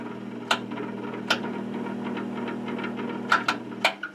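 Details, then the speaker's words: 1953 80-gallon air compressor motor after oiling the bushings and bearings, having worked through a tough spot: steady, even hum with a few handling clicks and no rubbing or grinding; bearings now turn freely. "seems to be working now so we did the right thing and just put more electrical tape on"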